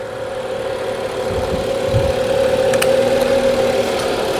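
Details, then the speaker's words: 2015 BMW 640i after replacing a defective battery that caused intermittent no-start, check engine light cleared: smooth, even idle with steady hum, no knocks, misses or rattles; engine running healthy. "Yeah, this engine sounds good. Wow, very nice."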